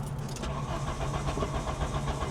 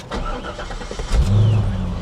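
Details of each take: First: VW Cabriolet abandoned over 10 years: even starter churning at about four beats a second that never fires; gauge shows no fuel (suspected bad sending unit), fuel pump initially not running; crank, no start. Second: Manual car, odometer about 14,775, quarter tank of gas: the starter turns briefly, then the engine fires right up and settles into a steady, even idle with no knocks, stumbles or warning lights; runs perfect.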